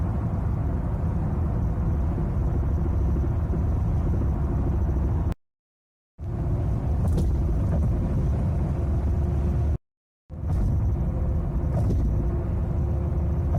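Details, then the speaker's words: 2011 Chevy Impala LTZ road test: steady road rumble with dull thumps over bumps from a worn or damaged rear right strut; the noise was gone after the strut was replaced. "I'm trying to simulate the sound that you hear when you go over bumps with worn or damaged shocks."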